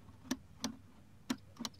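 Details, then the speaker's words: Hedge-trimmer handle safety switch, other side, during a Stihl HS81R/Husqvarna checkup: it holds until the last second, then snaps in, giving four sharp isolated snaps; it still activates but is sticking, and the owner plans to grease it. "that just snapped in there's a lot I can it's like it weights to the last second and then it just it kind of lets go I can still hear the switch activating"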